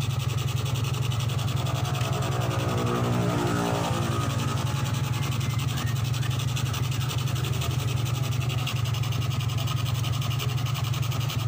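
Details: 2003 Suzuki Smash 110 after charging system repair, battery disconnected: revs cleanly and returns to even idle, no stutter or hesitation under throttle; charging system now normal.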